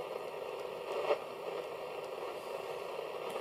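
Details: Roberts Rambler vintage transistor radio reported almost deaf, with no long-wave reception. On external power, medium wave gives only faint hiss and crackle with occasional pops and no clear station; the set needs alignment.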